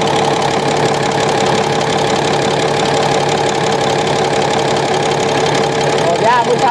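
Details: Komatsu SAA6D140E-5 diesel, first run after engine work including injector gasket replacement, valve cover off checking oil reaches rockers: steady even idle clatter, clear valvetrain chatter, no knock or miss; lubrication confirmed, healthy.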